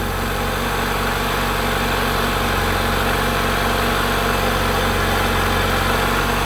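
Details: 1990 Honda Accord 2.2 4-cylinder at idle, after repairing bad alternator harness connector that prevented charging: steady even idle with smooth low hum and no dips; normal idle.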